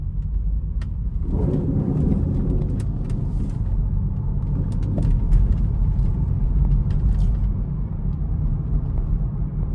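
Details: 2015 BMW 435i Gran Coupe (F36), 55k miles, kept near the ocean: a rough, scraping grind rises over a low rumble when the steering wheel is turned at a standstill or at low speed, after the steering was briefly stiff when first used following weeks parked.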